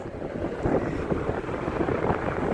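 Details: Rooftop condenser outdoor fan after a slow-running universal motor was replaced with an OEM motor and dual run capacitor; discharge air reads about 116°F at about 2,000 ft/min. Steady, even whoosh with no wobble, rattle or bearing growl; a healthy fan.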